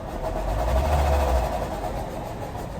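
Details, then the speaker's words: 2019 Renault Arkana, 111,000 km, JF015E CVT; engine revved in park with steady droning hum over low rumble, present driving and stationary, disappearing in reverse when input shaft stops; failing transmission bearing, steel and aluminium shavings found; engine also misfiring. "движение автомобиля сопровождается гулом на входной диагностике автомобиль Renault arcana пробег 111.000"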